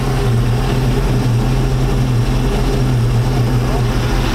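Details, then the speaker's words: 1999 Chaparral 1930 SS boat MerCruiser V8 idling in neutral: deep steady low burble with even beat, no misses or knocks; idle dead on the specified 650 rpm; normal idle. "Let's see where we're idling at right now. Dude, that's dead on. That is dead on, man."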